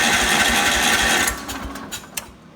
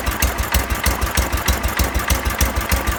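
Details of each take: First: 1970 John Deere 140 garden tractor, key left on, half throttle with choke: quick, even starter cranking about a second that never catches; runs on starter fluid, so ignition is fine, but not on gas; cranks but no start from fuel starvation. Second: 1970 John Deere 140 lawn tractor, just restarted after a fuel-flow no-start fixed by pressurizing the tank: small engine thumping steadily at low idle, about three and a half beats a second, roughly 250–500 rpm, even and clean; normal.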